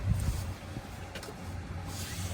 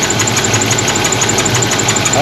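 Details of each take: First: 1977 Pontiac Trans Am 4-speed, after fixing a backed-off rocker arm nut that caused carburetor backfiring and missing: quiet, then cranks, catches and settles into a smooth, even low idle with no popping or missing. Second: 1977 Pontiac Trans Am 4-speed, water in the breather and very dirty oil: a sharp light tick about six per second over a rough, missing idle from a rocker arm under the valve cover on a cam lobe going flat.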